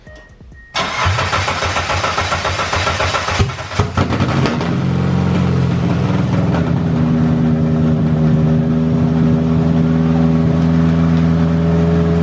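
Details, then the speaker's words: 2G Eclipse on its third engine, first start after reassembly, with a straight open pipe. It cranks, catches and revs loudly, then settles into a steady, even idle with no knocking. "yo straight freaking pipe all right so it runs which is huge"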